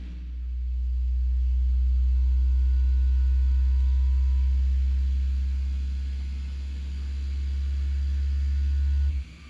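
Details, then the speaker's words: Artillery Sidewinder X4 Plus S1 3D printer running its resonance compensation calibration to reduce print ringing: a deep, steady hum swells and eases for about nine seconds, shaking everything, then stops cleanly. Normal calibration vibration. "Joe, the 3D printing professor was the one that told me about the the all the newer printers, I guess, have this test that they do in order to help get rid of ringing and such like that from the from the prints."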